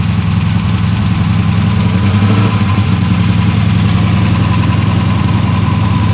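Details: Cammed V8 after Edelbrock intake manifold swap with 92 mm throttle body, fuel primed, heard from the rear: loud steady lumpy idle, deep even lope, no knocks or ticks; normal cammed idle settling in.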